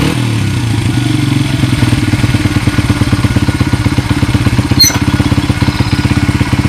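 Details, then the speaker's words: 1994 Honda XR100R single-cylinder dirt bike just after carburetor rebuild, kick-started; steady even putter with no misses or rattles; normal clean idle. "so you guys could hear it it's a nice running bike"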